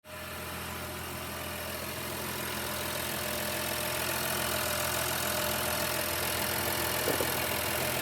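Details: 2016 Honda Pilot before repair: the petrol engine idles with a faint uneven pulse and an airy hiss from a torn air intake hose, causing rough idle.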